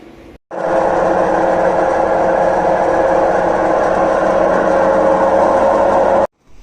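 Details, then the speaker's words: Samsung WD10J6 10.2 kg EcoBubble washer-dryer: loud steady roar and droning hum while the drum turns, with no knocking and the spider apparently not broken. A worn drum bearing is suspected; the shaft, bearings and seal are to be replaced. "aqui ela tá fazendo um barulho de rolamento mesmo parece que a Cruzeta dela não tá Quebrada não tá não tá batendo Mas ela tá roncando muito quando faz a roda"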